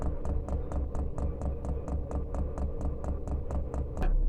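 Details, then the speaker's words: Chinese diesel heater fitted in a house window frame, running on rice bran oil thinned with acetone nail polish remover, during the priming cycle; crisp evenly spaced dosing pump ticks about four per second over a low hum; normal priming. "we're now on that priming cycle fuel's going to get sucked up and we'll be ready to burn in a few minutes"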